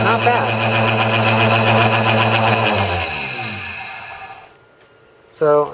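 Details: Vitamix blender blade assembly whose loud, rattling bottom bearing was quieted with grease (inner second bearing not greased): smooth motor whine at steady pitch, winding down evenly with no grinding or rumble.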